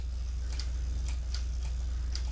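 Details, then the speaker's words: Mamiya 645 medium-format film camera after the 15th and last shot: the advance crank spins freely with light irregular clicks about twice a second because the roll has fully wound onto the take-up spool. Normal end of roll. "after the 15th shot it will continue to spin and as you can hear it's clicking through because the film the spool ended"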